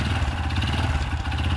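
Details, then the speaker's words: Honda Supra Fit motorcycle, first-generation engine, revved: heavy, steady knocking rising with the revs over the engine's drone; badly worn connecting rod, advanced, needs replacing before debris causes further damage. "Nah ini, bila Anda menemui motor seperti ini dipastikan stangnya kena."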